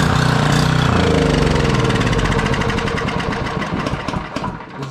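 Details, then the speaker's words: Generac 5000 W generator, Briggs & Stratton 10 hp, sat for years, choke on, little fuel poured in: fires sooner than expected, runs a lumpy steady beat about four seconds, then dies on its own; cause unknown. "not expecting it to fire off that soon. Don't know why it shut off on its own, though."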